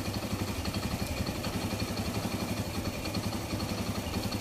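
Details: Kawasaki Bajaj CT100 single-cylinder after timing chain replacement: even steady thump about four per second, earlier internal grinding gone, no chain rattle; normal idle.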